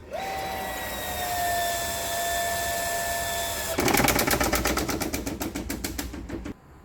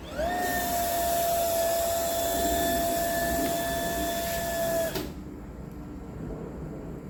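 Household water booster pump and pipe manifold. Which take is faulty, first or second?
first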